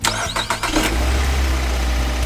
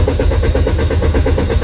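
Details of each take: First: Car that would not start even after a throttle valve replacement and checks of the spark plugs, ignition coils and oil lines; a part was cleaned and refitted. It now cranks briefly, catches within a second and settles to a steady idle, restarting repeatedly: normal start. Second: Car cranks with rapid, even starter churning, about eight beats a second, but never fires or starts. Throttle valve already replaced and spark plugs, ignition coils and oil lines checked, yet the fault remains.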